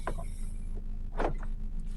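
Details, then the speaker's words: Mk1 Suzuki Wagon R+, sat untouched over a year, battery connections just fixed, engine idling: short sharp clacks from all doors almost together as central locking actuates; normal central locking. "oh wow I've even got Central locking on this bad boy look you can hear the oh and it does all the doors oh love"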